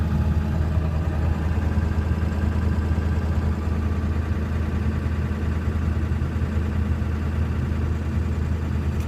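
Low, loping idle with an uneven, shaky beat instead of a smooth hum; the engine is idling rough, cause not evident.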